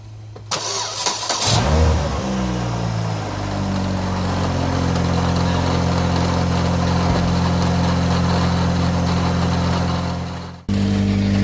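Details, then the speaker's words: Saturn Ion Redline after an exhaust repair in which the warped flanges got doubled homemade gaskets and RTV; it catches after a short crank and settles into a steady, even idle with a smooth blip, no ticking or puffing leaks, and the exhaust sounds sealed. "let's hear it all right very happy with that"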